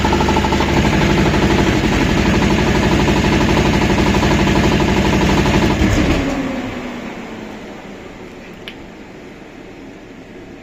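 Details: Refrigeration unit diesel engine: steady rapid knocking at about four per second over the running engine, fading as it shuts down; engine knock, cause undetermined.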